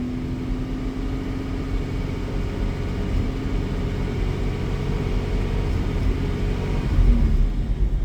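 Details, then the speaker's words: 1987 Jaguar XJ-S 3.6 manual, after a 1-hour test drive that was fine until the last 10-15 minutes: uneven, stumbling drone as revs slowly rise from 1k to 2k under demand; misfire and hesitation under load at low rpm. "But if I go under 2, and if I increase from 1 to 2, it starts to struggle there."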